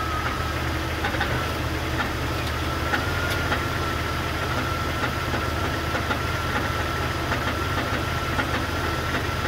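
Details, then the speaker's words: 2001 Jeep Cherokee XJ 4.0 inline-six, recently lifted, at idle: rough running with a dull, regular clunking under the engine note; rod knock, engine to be swapped. "i just lifted this thing for my buddy tommy but unfortunately now it has a rod knock yes that unmistakable clunking sound"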